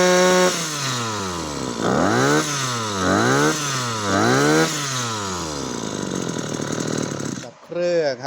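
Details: Maruyama CBC20 two-stroke brush cutter after rebuild with new crankshaft bearings, rod in good condition, tested without the clutch fitted: revs up and falls back cleanly several times, pitch even with no stumbling; normal revving.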